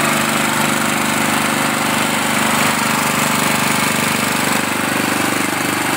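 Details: Wheel Horse 211-5SB with 11 hp I/C Briggs single-cylinder, first start after starter replacement and flushing bad gas from fuel line and tank: fast, fairly even mechanical chatter, no misses; healthy, steady running.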